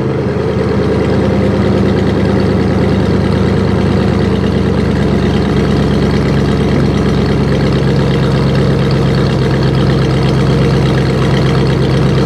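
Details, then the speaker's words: Abandoned 1968 Buick LeSabre V8 revived, still with leaking head gasket, run near 190°: deep, steady V8 rumble holding an even beat, no misses, knocks or ticking; engine running well. "this is rehab for the Buick let me tell you it's sounded pretty damn good this is all Buick power I like it I like the way she sounds"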